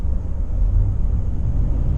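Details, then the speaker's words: 2017 Nissan Titan Pro-4X 5.6L gas V8 on a test drive after installing a K&N 63 Series AirCharger intake, window open: deep, steady, unbroken rumble with no knocks or ticks; the sound is much more aggressive. "Wow much more aggressive sound and I can feel it too"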